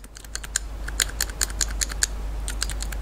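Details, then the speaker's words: Logitech non-analog gamepad salvaged from a dump: the buttons give sharp, dry clicks in uneven bursts, a couple per second, each press clearly audible. A noisy but acceptable button click. "elle fait du bruit mais bon ça à la rigueur c'est pas grave"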